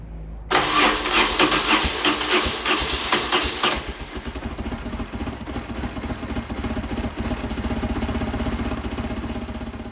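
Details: BMW GS motorcycle, about 1,500 miles since a claimed service: slightly offbeat, limping cranking before it starts, one beat weaker. Suspected low compression, right cylinder, from loose spark plugs with uncrushed washers; later compression about 115–125 psi.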